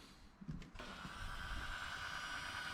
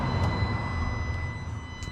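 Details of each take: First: 2019 Vauxhall Vivaro 1.6, intermittent no-start with delayed dash lights and no crank response; ignition on gives a quiet click and steady electric pump whir, but no throttle actuator or injector ticking from the engine. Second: 2019 Vauxhall Vivaro 1.6 with intermittent no-start, key-on after test relay fitted: steady high electric whine over low hum as throttle body motor and actuators run; power supply now working.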